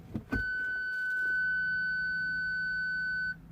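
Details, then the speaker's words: Ford Galaxy with front and rear parking sensors, fault B1B53 stored: engaging reverse gives one steady high rear beep for about three seconds, then silence; system shuts down, front speaker suspected faulty. "So what happens is when you engage reverse, which I'm going to do it, you're going to hear a beep."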